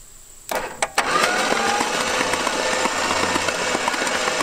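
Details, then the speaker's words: 1970 Plymouth Satellite off the road since the early 1980s, first crank in 35 years: after a couple of clunks the starter churns the engine laboriously and unevenly, gradually speeding up; the starter sounds horrendous. "god that starter sounds horrendous it does"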